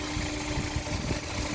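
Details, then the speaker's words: 2004 Honda S2000 with 109,757 on the odometer, pre-purchase inspection, hood open: steady, even idle with a smooth low hum and no knocks or ticks; engine healthy, though coolant smell and possible leak noted. "So as you can see, it seems to be running pretty smooth. The VTEC purring just fine."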